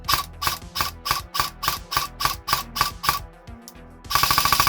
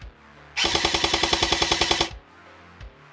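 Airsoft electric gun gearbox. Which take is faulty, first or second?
second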